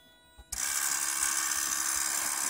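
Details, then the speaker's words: 2008 Toyota Prius parked, brake pedal released: a steady high electric whine kicks in and holds as the brake accumulator pump cycles on and off repeatedly, with a high-pitched chirping noise alongside. "alright I'm gonna give up holding the brake pedal down now it's in park and the accumulator is running on and off there's also an interesting like high-pitched chirping noise"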